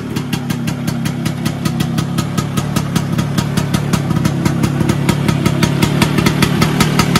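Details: Vespa PX 125 with 177 kit, restored engine (new bearings, gaskets, piston, rings, lapped cylinder, first-gear parts), first start after a year on 2.5% mix. Crisp, even two-stroke putter at steady idle, no misses, knocks or rattles. Normal idle.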